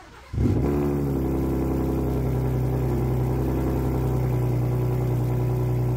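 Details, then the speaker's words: Gen 3 Ford Raptor V6 cold start after the exhaust rattle TSB 22-2388 repair: it catches quickly and settles into a smooth, steady high cold idle with a deep, even drone and no exhaust rattle. "There's been 8 or 9 cold starts on this truck. It has not rattled a single time."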